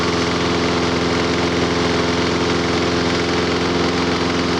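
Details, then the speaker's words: Lawn mower idling while WD-40 sprayed at intake gasket: steady, even idle with no surge or rev change, so no gasket air leak — normal idle. "Nope, never changed the motor. If that was leaking, it'd rev up or do something different."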